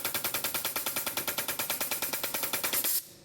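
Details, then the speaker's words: Jenny K-style pump 2 hp compressor: rapid, fairly even chatter of about eight or nine bursts a second cutting off abruptly, the pilot valve still cycling after shutdown; debris trapped in the pilot valve stops the head unloading, causing short cycling. "You still hear the pilot valve continuing to cycle after the machine's shut down."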